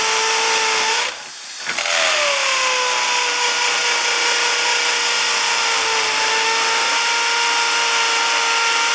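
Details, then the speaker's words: Hammer drill boring into concrete for wedge anchor bolts while framing a carport into a garage: a loud, high, steady buzzing drive with very rapid, fine hammering, smooth and even; normal hammer drill operation. "this is a hammer action on on this drill and and you should be able to hear it this one has a really fast the cheaper ones are really fast but the the bigger ones you can really hear it like banging into that concrete"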